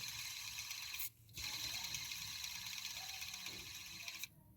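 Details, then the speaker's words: Ford Ka 1.0 Zetec Rocam flex engine with A/C and power steering, belt removed, tensioner pulleys spun by hand: dry gritty rattling rasp, loudest from the lower pulley; worn belt tensioner/idler pulley bearings, belt itself fine. "ouvindo ó muito barulho né nesse de baixo aqui ó barulhão G então dá para ver que os rolamentos aqui que estão fazendo o barulho né"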